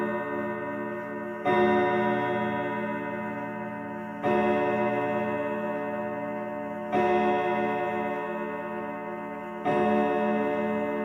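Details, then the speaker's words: 1940s Manufrance box clock (1945–46) with a Girod movement, long pendulum and Saint Etienne rod chimes. Clear chime strikes roughly every three seconds, ringing and decaying, with several rods flat and the strike off pitch. "And I was planning to do something about some of the rods being flat, but uh I don't really know how to change that."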